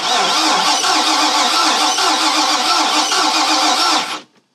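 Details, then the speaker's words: 2000 Mariah boat 7.4 L 454 MPI MerCruiser V8 after hydrolock, compression test cranking: even steady pulses about five a second; compression great, all cylinders 115–120 psi. "A little lower, okay. So compression is great on every single cylinder."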